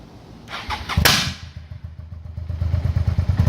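Cold V-twin catches with uneven, stumbling thumps and gaps in the beat before picking up; it's misfiring on cold start.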